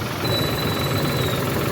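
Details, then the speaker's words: Suzuki Wagon R, previously misfiring, tripping and losing power (scanner codes checked), after injectors were opened and cleaned and the coil reset; smooth even low idle, no stumble, miss or shake, vibration gone; normal idle after repair. "अल्हम्दुलिल्लाह vibration भी खत्म हो गया है और जो है कोयल है उसको भी सेट किया है"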